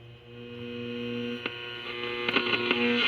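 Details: 1930s Sears Silvertone tube radio after capacitor replacement, first power-up through isolation transformer: steady low mains hum with faint crackles as tubes warm up, no station yet; normal warm-up hum.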